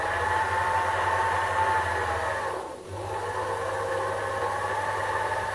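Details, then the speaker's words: Sherline metal lathe running after its wooden base, which was resonating like a soundboard, was raised on rubber feet: quiet steady hum with faint whine, no droning or rattle; problem basically solved, normal running. "that's not too bad really that's pretty reasonable I think you know"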